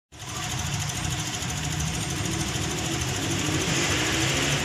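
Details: Toyota Vios engine shaking at idle: uneven, pulsing chug with a loose rattly edge over a busy hiss, not holding steady; rough idle, cause unclear.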